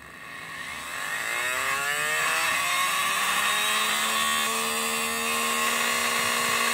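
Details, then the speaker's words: 12 V DC motor, opened, run on 12 V; as a magnet is brought closer the rpm rises, steady whine climbing in pitch, smooth with no knocks or grinding; normal running. "और अभी मैं इतना दूर रखा हूं तो यह आराम आराम से घूम रहा है दोस्तों और जैसे जैसे मैं इसके पास लूंगा इसकी जो आरपीएम है वह बढ़ती जाएगी"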